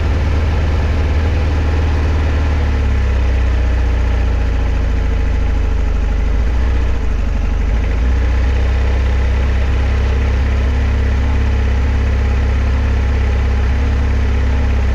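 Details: 1976 Kawasaki KZ900 started after sitting about 10 months: it fires after a few cranks on fresh gas into a low, slightly uneven, lazy idle. The owner says it needs a good run and probably Sea Foam to clean it up.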